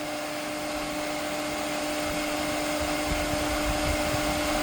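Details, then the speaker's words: Newly replaced auxiliary booster pump for pressure-side pool cleaner, started after main pool pump primes: smooth, steady quiet electric hum, no knocks or rattles, much quieter than main pump; normal running. "So I'm going to go ahead and turn it off now. It's so quiet, you can barely hear it."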